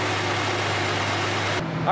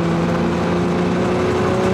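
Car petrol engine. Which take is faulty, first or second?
second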